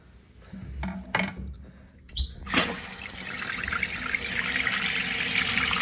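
After a few clicks, water rushes in with an even, steady hiss and no trickling or gurgling, so the tank is refilling normally.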